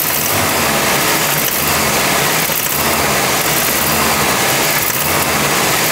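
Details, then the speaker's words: Isuzu engine at idle: steady with a dull knock roughly once a second under hissy top end; knock worsened over time, owner suspects head gasket, compression test pending. "rochę mocniej aż w końcu zaczęło stukać tak jak Słyszeliście na nagraniu już mocniej nie stuka także Obstawiam że to jest uszczelka pod głowicą"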